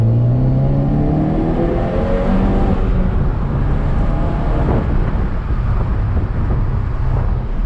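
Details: Ford Focus ST, Stage 3 tune, Mishimoto charge pipes just installed, full-throttle pull: deep note climbing smoothly through a gear change, no stumble or misfire; more responsive, earlier stutter gone.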